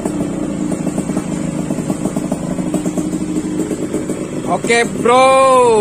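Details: Yamaha RX King two-stroke, warmed up after carburettor tuning (pilot jet around 30–35): crisp, buzzy note holds steady then climbs cleanly on a rev without stumbling; normal, well-tuned two-stroke revving.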